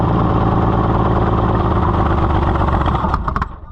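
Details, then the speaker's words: Oliver 70 tractor, first run after a carburetor rebuild, owner suspecting insufficient fuel delivery: rough, lumpy running with uneven clatter, then a few sharp pops before it dies down; backfiring. "oh [Applause] backfire conditions are worsening o too [Applause] much"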